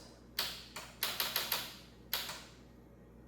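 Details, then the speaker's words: 2005 Kawasaki Ninja 500 starter diagnosis using a car jump pack: sharp dry clicks, about eight in three seconds, with no cranking; owner unsure if motor is locked up, suspected starter electrical issue, not confirmed. "So, it's definitely it's definitely clicking. It's definitely clicking. I'm not sure if the motor is locked up or something."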